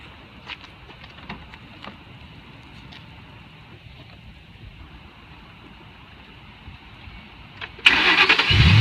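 Quiet background, then near the end the engine cranks and catches cleanly and settles toward a steady run: a normal start.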